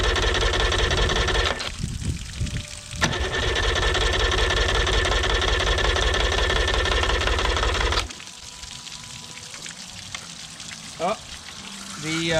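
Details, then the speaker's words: 1989 Yamaha 30 hp two-stroke outboard, first start after exhaust gasket/seal repair: steady rhythmic cranking, about three turns a second, with no firing; won't start because the idle was off, so no gas was getting through. "The actual idle was off, so I wasn't getting any gas."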